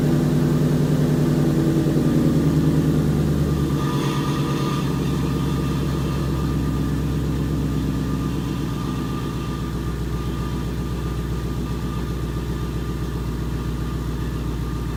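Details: 2011 Ford Mustang GT 5.0 Coyote with Roush exhaust, first startup in an echoey garage after replacing all eight rod bearings (King CR868SI), rod bolts, and 5W-30 oil: V8 settles from fast cold idle to steady lower idle; earlier tick and knock gone.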